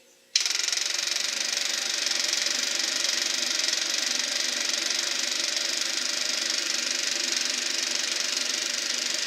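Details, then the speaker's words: Eberspacher B1 gasoline heater for a VW Beetle, bench test-fired, glow plug hot, battery charger apparently cutting out: steady hiss of fan and fuel pump with no flame roar; not holding a steady flame, cause unconfirmed. "Well, I'm not hearing a steady flame in there. I think the battery charger just cut out again. Well, this heater's definitely got problems."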